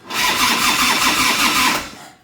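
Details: 1990 Harley-Davidson FLHTC Evo, very cold, not started in a couple of days, choke on: brief start, rough uneven pulsing, then dies; owner suspects carburetor or intake, fuel backing up.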